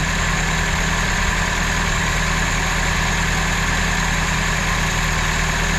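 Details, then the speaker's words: 1977 Datsun 620, first run after reviving, oil full, fresh fuel to the carburetor, throttle return not yet connected: old four-cylinder idling steadily with a light fast chatter over the drone; source unknown. "Sounds good. There's a little bit of chatter. I'm not sure what that is."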